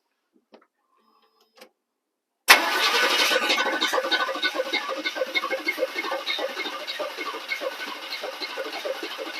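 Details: 1985 GMC Sierra 1500 V8 after long neglect, smog delete, new distributor and wires, swapped carburetor, fresh oil, little fuel in the bowl: long uneven cranking that fades without catching; crank no start, owner suspects too little fuel.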